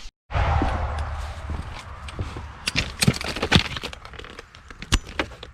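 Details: Sun Joe SPX3000 electric pressure washer fitted with GPI GP-150S-AU transfer tank pump: motor kicks on abruptly, settles into a steady low hum with some clatter; pressurizes and runs normally.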